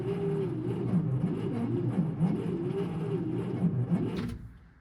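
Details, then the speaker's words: 1968 Kaiser Jeep M725 military ambulance, unrun for 15+ years, on a small battery; the starter groans and drags the engine over slowly, about three to four labored turns a second. Owner suspects the small battery. "Motor turns over. That's a good thing. Not very fast, but then again, that is a pretty small battery I threw in this thing."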